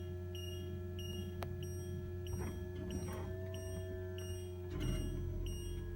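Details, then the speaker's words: 2007 Itasca Suncruiser 35L motorhome auto-leveling on a slope: low steady pump hum with intermittent high chirping while the jacks run; strange noise of unknown cause. "You might hear it making some strange noises like you just heard. I don't know why it does that, but it does."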